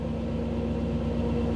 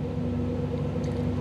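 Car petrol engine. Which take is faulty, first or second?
second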